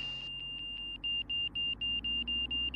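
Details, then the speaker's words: Van's RV-6 with Garmin G3X Touch angle-of-attack audio, power pulled back, slowing to the stall: steady high tone breaks into quick beeps, roughly four a second, as the wing reaches the stall. "and now we're going to start slowing her down and you can hear the hey we're getting frenetic there's red and there's the break"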